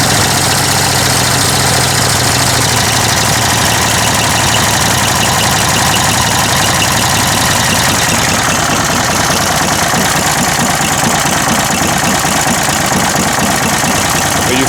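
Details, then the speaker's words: Refurbished Wolf PM-Quantum 35 mower, small single-cylinder, presumably warm, after fitting a Toro muffler: loud raspy drone with slightly uneven beat, no knocking; owner thinks the carburettor needs adjusting for the new muffler; uneven running. "Il faut un réglage carbu en conséquence. Il devrait être chaud de toute façon."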